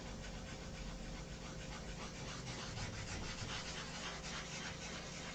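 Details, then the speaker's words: Sanding clear coat on an airplane finish: steady, gritty scratching as the paper works the clear, a grinding sound suggesting overspray roughness. "You can hear it grinding. It sounds like overspray."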